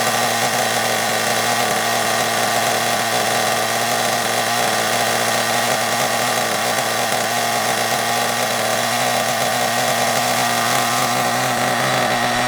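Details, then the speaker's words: Hobao Hyper ST nitro truggy with a glow plug fitted, just after first start: a high, thin scream holds steady with a slight lean edge. Owner suspects the fuel tank is causing intermittent lean running and plans to fit a new tank. "I think there's a bit of an issue with the tank I think I'll definitely put that new tank on because what I've noticed is it'll run absolutely fine for a bit and then it'll start to sort of"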